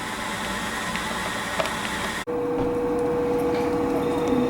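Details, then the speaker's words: Power-vent water heater, top-floor unit around 65,000 BTU, heard outdoors at the vent directed away from the building: steady loud fan rush with constant hum, far louder than conversation (similar units meter about 74 dBA); loud power vent fan noise. "here's a a rather noisy one this is top floor so it's higher btus like 65 000 btus that you can hear it's it's rather noisy"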